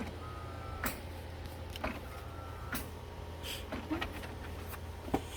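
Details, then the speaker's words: HP OfficeJet Pro 8710 being refurbished with refilled used cartridges after a previous owner's reset attempt: quiet whirs and irregular soft clicks about a second apart over a low hum as the printhead pumps and primes, initializing 0%; normal. "and then the printhead start pumping, and then you can hear this printhead running right now. It's pumping it, and it shows initialized 0%."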